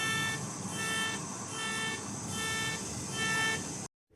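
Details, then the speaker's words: A machine squealing continuously for about 15 minutes: shrill beep-squeal repeating about twice a second at the same pitch every cycle, heard at home in the evening; cause unknown. "この機械はもう15分くらいずっとキーキー鳴っています。中で何が起きたのかわかりませんが、ちょっと不安になります。"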